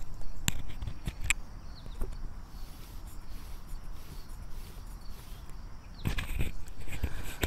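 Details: Diamond wire saw guide wheel, a common Chinese-made part, spun with the microphone held close: the good wheel gives a quiet, low, free whir with no grinding or rumble, unlike the failed-bearing wheel, heard alongside a few handling taps.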